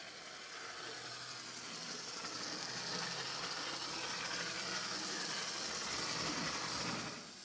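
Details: First-generation Athearn gear-drive model locomotive reassembled after repair, on its test run; the motor and gears give a steady high whirring hiss for several seconds, then stop, running smoothly.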